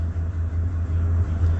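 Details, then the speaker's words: 2007 Ford F350 with Triton V10, no check engine light; misfire at idle: deep steady rumble with uneven dips as a cylinder drops out; cylinder two reads negative, missing, clears briefly with a little gas then misses again; cause unconfirmed. "Now you see cylinder two negative. That means it's missing, not firing."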